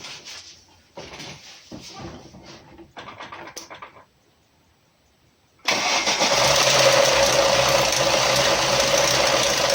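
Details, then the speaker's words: Lada Niva 21213 idling after the engine began rattling while driving, oil warning light off: fast metallic timing-chain rattle; owner suspected the chain limiter, found a broken chain damper and tensioner at its limit. "Не доехал я до дома 200 метров. И у меня, похоже, дело забрякало цепочку."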